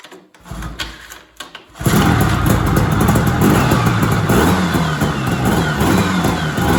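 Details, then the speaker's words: 1970s Sno-Pony snowmobile, JLO 340 twin two-stroke on premix, sat 20-30 years, not pulling fuel well: fires after a few seconds cranking, settles into busy fairly even burble; normal running after restart. "so it does not want to pull gas, but at least it runs and the headlights even work. That's crazy. The engine sounds good."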